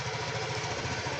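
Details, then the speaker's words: TVS Jupiter scooter after first service (gear oil that was watery thin and low replaced with 90-grade, rear brake liners and drum cleaned), washed and started: soft, even putter at steady idle with no knocks or rattles; normal smooth idle. "एकदम smooth गाडी झालेली आहे."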